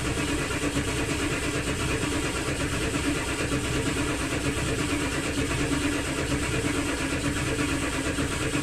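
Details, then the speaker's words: Ford 7.3L diesel OBS truck after injector O-ring replacement for oil in fuel, glow plugs removed during the job: long, even starter churn without catching yet; normal extended cranking while oil pressure builds and may smoke. "right now it is gonna smoke so and and it might take a little bit to crank up but eventually it'll crank up it just has to build uh oil pressure and the oil has to circulate around"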